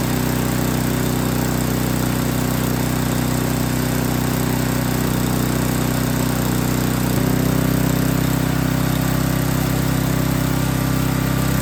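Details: Yard King snowblower that would not start, small engine at full throttle with choke on, uneven lumpy beat that steadies and picks up as the high carburetor mixture screw is adjusted; carburetor was not tuned correctly.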